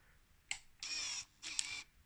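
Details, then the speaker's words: 2000 Yamaha DT125R after rebuild, power valve just fitted with cables, key turned on: sharp click then two brief half-second whirring motor runs; normal power valve servo cycle at key-on. "just turn the key it makes a clicking noise from somewhere"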